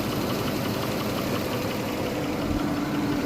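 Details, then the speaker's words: 2009 GMC Yukon Hybrid 6.0L V8, idling after all lifters were replaced (earlier a stuck lifter on cylinder 7 and a cylinder 4 misfire): a fast, light tick that follows engine speed persists and seems to come from one side. "Just replaced my lifters and I still have a ticking noise. Sounds like it's coming from this side."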